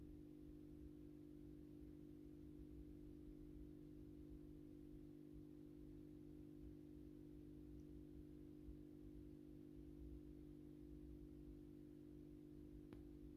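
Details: AEG Minikoffer West German post-top mercury vapor streetlight (80/125 W) on its first startup after rewiring per the ballast schematic, 125 W Osram Deluxe bulb. Soft, perfectly steady low hum with no buzz or flicker during warm-up: healthy magnetic ballast, normal hum.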